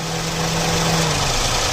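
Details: Toyota Paseo after AC compressor pulley bearing replacement (gas kept in system), engine idling with AC engaged: steady even idle, no grinding, rumbling or squeal from the compressor pulley; the new bearing runs quiet.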